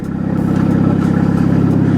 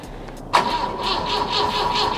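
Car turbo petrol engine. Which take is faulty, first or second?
second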